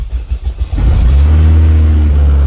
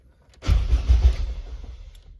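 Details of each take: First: Honda K20Z1 Type S engine swapped into a Mitsubishi Eclipse, first-ever start with new ECU wiring and fuel line, coolant not yet added, two check engine lights: brief cranking, catches first try and settles to a steady, slightly high idle. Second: Honda K20Z1 engine swapped into an Eclipse, starter just wired, fuel line not yet connected: about a second of brisk even cranking with low chugs that never catch, normal starter cranking.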